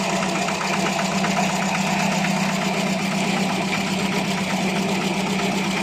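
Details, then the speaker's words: Older carbureted petrol car after full carburetor service, idle test: fairly even idle pulsing about four times a second, no stumbling or hunting; steadier than the earlier rough idle, no hesitation, though not fully smooth yet. "This is how it's running. It's more stable. Throttle response feels better. It doesn't hesitate like before."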